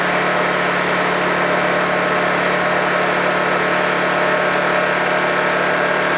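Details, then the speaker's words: Honda generator unused for about three months, after a cold start: even, steady drone at constant speed with no surging, misses or knocking, running healthy. "there we go watch running so far there we go number one complete"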